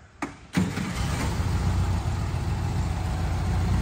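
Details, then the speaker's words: Bradley GT. The starter catches quickly and the engine settles straight into a steady, smooth low idle with no knocks or misses: a healthy start. "it sounds great you can hear the motor has a nice smooth idle"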